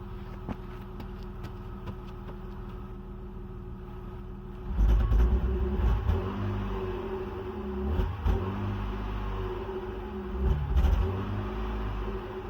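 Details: BMW E39 520i inline-six with original ignition coils failed after 179k km: lumpy, uneven rumble that stumbles through each throttle blip, a misfire from the bad coils.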